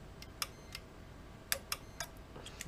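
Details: Unicum tubular motor on an immersed pool-cover control box, new motor: sharp irregular relay clicks with no motor hum after them; motor does not turn, no fault light, no voltage to motor, and the breaker fuse blows after replacement.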